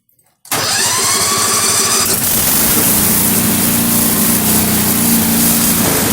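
Quick crank, then the engine catches and settles into a steady, even V-twin run with no misses or knocks.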